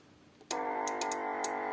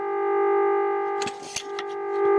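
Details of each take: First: Vintage Radione WSH3 tube radio during repair, signal generator switched off: steady tone with overtones starts abruptly and holds with no signal present; set returns to self-oscillating state from positive feedback, possibly needing tuning. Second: Vintage Radione WSH3 tube radio during repair, tuned to 900 kHz with signal generator: steady pure amplitude-modulated test tone from earphones with brief handling clicks; receiver demodulating cleanly.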